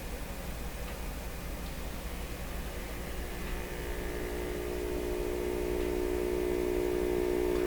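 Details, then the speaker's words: Stewart Warner R514 tube radio, previously damaged speaker tested with hum before filter capacitor is augmented: smooth, steady low hum slowly swelling, no rattle or buzz; speaker judged good enough to continue; normal hum. "well that's not bad okay we don't need to let their run too long great okay so i think the speaker is good enough to continue"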